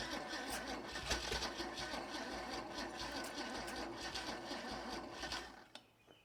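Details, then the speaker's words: Holden red motor 173 ci (2.8 L) six, about 1971, ex-Bedford CF van, unrun for years, fuel tipped into carburettor: uneven, labouring cranking about three turns a second fading out as the battery goes flat. "just as we try to get some progress the battery goes flat"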